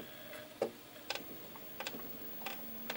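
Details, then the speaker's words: Sega Saturn after reassembly, disc now spins freely: quiet, irregular ticks and clicks about every half second as the drive keeps seeking without settling; laser still too weak to read. "okay so having put it back together but the disc now does spin freely so that's definitely an improvement but it still doesn't seem to be reading this properly"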